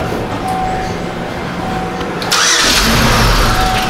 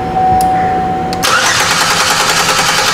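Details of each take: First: 2005 Chevy Equinox 3.4L with the main relay reinstalled after its damaged wire was repaired: the engine cranks briefly, catches, and settles into a steady, even idle, starting and running normally. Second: 2005 Chevy Equinox 3.4L cranking during a waste-spark test: the starter turns the engine over at an even pace with no firing; spark and fuel pressure are good, and the injectors get no power because the main relay is not turning on.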